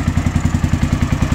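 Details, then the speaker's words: Honda XBR 500 with about 60,000 on it, first start in 2023, on temporary black-painted exhausts with uncut pipes. At about 1000 rpm idle, an even, steady single thump with no misses or top-end clatter. Normal idle. "Honda, az igazság. 60 000-rel olyan hangja van bazzak, hogy beszarás. Imádom."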